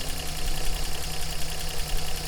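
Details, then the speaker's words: 1988 Toyota Land Cruiser FJ62 at operating temperature, microphone in engine bay, after new stainless exhaust fitted: deep, smooth, even burble with no knocks, ticks or leak puffs, slight bubble still audible; normal warm idle. "she's up to temperature and she's pouring like a kitten as far as engine mechanics i think we started then we're ready to go"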